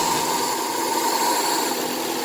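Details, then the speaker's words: Rebuilt wrecked Suzuki Swift, just started cold, dead battery, recent check engine light: steady smooth idle sitting high around 1300 rpm with hiss, no knocks; high cold idle that soon began idling down. "It's idling at, what's that, about 1300 at the moment. We'll see if it idles down in a second. We may just have to give it another little tap. It is idling a touch high."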